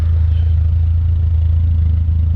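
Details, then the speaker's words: Barn-find BMW E21 on old bad gas, clutch not working, idling after being driven hard around the lot: deep, smooth, even idle with no stumble, miss or knock; strong, healthy engine. "Listen to that, it's fucking idling. We just had it ripping around."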